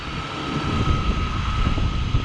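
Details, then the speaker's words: Old Chevrolet S10 that hadn't been moved in a while, on first fire-up: steady low rumble with a faint constant tone and no squeal, settling into an even idle; normal idle. "sounds like a dream"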